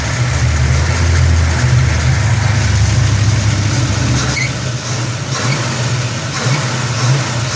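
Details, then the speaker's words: 1971 Dodge Super Bee, dual-quad 4-speed, warm after test drive plus 7–8 minutes idling, temperature 185–193 and running cool: V8 blips up and settles with deep, steady, even beat, no knocks or ticks; tight, healthy motor. "Engine's been running another 7 or 8 minutes here in the parking lot. 185, 190, 193. Seems to be running pretty cool."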